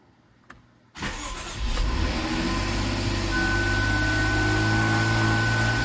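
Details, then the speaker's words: 2013 Jaguar XF 3.0 AJ126 supercharged V6 started after engine repair, with fresh 7 quarts 5W20, low coolant and low fuel. Cranks, catches cleanly and settles into a steady, even idle with no knocks or misses or fuel leaks; sounds good. "I like it I think it sounds good"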